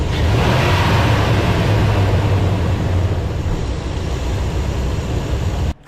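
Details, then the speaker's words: Ram 2500 6.4L Hemi V8 after fan clutch replacement and warm-up drive to temperature: deep even rumble with no fan roar, clutch disengaged, smooth idle. Normal idle. "So I did, and once it got up to temperature, sure enough, the clutch started working. Music to my ears."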